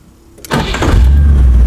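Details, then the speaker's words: Rover V8 3.9 L after distributor replacement, idle set to about 800 rpm and timing strobed at 5 degrees: after a short crank it settles into a deep, steady, even idle with no misses, sounding healthy. "we go that sounds pretty good"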